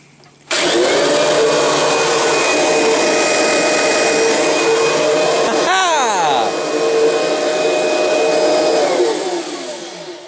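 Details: Kirby G4 vacuum cleaner that sat unused in a corner, with bag fitted: motor spins up to a smooth, even high whine that holds steady with no rattle or labouring; runs healthy, though the front light bulb is out.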